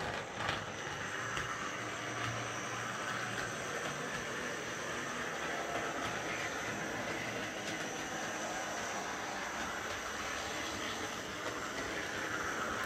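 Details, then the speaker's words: Repaired Triang R52 Jinty 0-6-0 tank locomotive running on the layout: even, steady motor hum with light rail clatter and no grinding or catching; quieter than expected and running smoothly. "okay let's turn on the power it's a bit quieter than i expected it to be"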